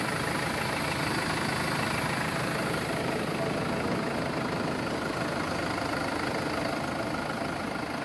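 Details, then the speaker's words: 2016 Mercedes Sprinter 316 diesel, 163 hp, L2H2 van, idling at 6 °C: even diesel clatter holding revs, no knocks, misses or rattles; normal healthy idle. "Уже похолодало, 6 градусов, держит обороты. Вот, камера, все работает. Двигатель работает ровно."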